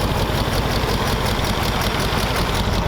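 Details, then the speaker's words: 1932 Ford roadster's flathead V8 idling outside. A low, soft, even idle pulsing about 160 times a minute with no knocks or ticks; very quiet and healthy, and the mufflers are too quiet at idle. "I definitely have to do something about the Mufflers this thing's way too quiet at idle but sounds pretty good"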